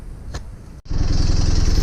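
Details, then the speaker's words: Honda Superdream (Hawk) project bike started from cold after adjustment: catches easily, settles to steady even idle putter; sounds much better, slight exhaust blow suspected but far less than before. "well i've just started it from cold and it started easily and it sounds much better i think i can hear a blow on the exhaust but nothing like as bad as it was before"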